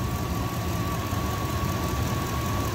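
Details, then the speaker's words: 1999 Dodge Durango SLT, sat 14 years, after correcting swapped plug wires, refuelling with 91 and fitting the oil cap: smooth, even idle with steady low rumble, no ticking or misses; earlier knock attributed to old oil and wrong wiring. "ah that sounds way better we're gonna say that that noise was a combination of old oil and having those plugs backwards"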